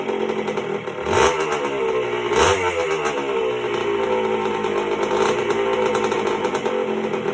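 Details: 1977 Honda CR125M Elsinore two-stroke just after a top-end rebuild (piston circlip had come off), not yet heat-cycled: a crisp, even idle with two clean throttle blips rising and falling smoothly, no rattle or misfire. Normal running.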